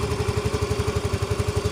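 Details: Yamaha Mio M3 125 idling after replacing a sticking non-original starter switch (4-leg relay) that kept the starter motor running with the key off: single cylinder ticks over smoothly at about eight pulses a second, healthy.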